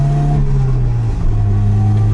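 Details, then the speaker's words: Nissan 200SX S12 with dual-coil ignition, previously fried ECU and both coils, pulling up in revs then stumbling and sagging midway before recovering; breakup, ignition misfire. "last time we got it to do this whoa but it also did a bunch of this oh little bit of break up"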